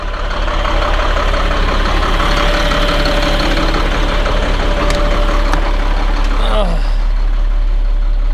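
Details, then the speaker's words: Caterpillar C7 diesel idling after replacing two bad injectors: steady, deep, even rumble with no misses or knocks, running smooth; check engine light flashing from a separate faulty water temperature sensor. Normal idle. "it's running good running smooth just like what we want I think sounds good running really good"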